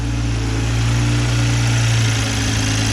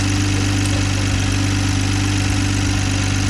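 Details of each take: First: 2020 Toyota Supra after installing a Boost Logic cat-less downpipe, O2 sensors not yet plugged in, checking for exhaust leaks: steady idle with light, quick tick about four a second over exhaust drone; ticking at idle, cause unconfirmed. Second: 2020 Toyota Supra idling after cat-less downpipe install, O2 sensors unplugged, checking for exhaust leaks: steady idle with light ticking about four per second over exhaust drone, ordinary direct-injection injector tick, nothing leaking.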